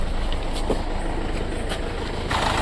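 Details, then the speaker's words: 2015 Mercedes-Benz CLA diesel idling with heavy vibration: low, uneven thump as cylinder 4 misfires, scan shows cylinder 4 injector open-circuit fault (P0272-type); current reaches the connector, pointing to a dead injector. "तो इसका प्रॉब्लम क्या है कि गाड़ी जो है मिसफायर हो रहा है इंजन, और इसको मैं स्कैन करके भी जैसे देखा हूँ कि फोल्ड आ रहा है इसका 4 नंबर सिलेंडर का फोल्ड आ रहा है, ओपन सर्किट का फोल्ड आ रहा है।"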